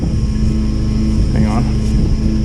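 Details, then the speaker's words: Oilfield water trailer PTO vacuum pump after closing the valve handle: steady low engine drone with even hum, no knocks or grinding; pump pulling normally, gauge moving toward negative pressure. "all right you can hear it sucking it's got sucking air into the trailer"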